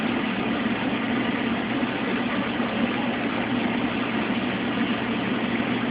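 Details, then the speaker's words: Mueller Special washer, first rinse of two with a big duvet, high water level, no spin between rinses: steady, even churning hum, no knocks or scraping; any electrical buzz is a nearby lamp. Normal rinse agitation. "As you can see, the machine doesn't spin between rinses, but in this machine it's not a problem. First rinse."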